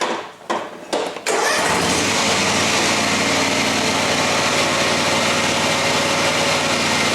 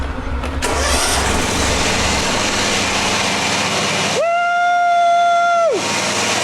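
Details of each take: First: John Deere X304 four-wheel-steer riding mower, back in the shop with the same fault as two years before: catches after a few cranks and runs with a harsh, gritty grinding roar from a worn transmission drive pulley. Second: John Deere X304 four-wheel-steer riding mower after replacing the slipping drive pulley that caused a grinding noise: engine cranks, catches and runs evenly with no grinding. The mower is running normally.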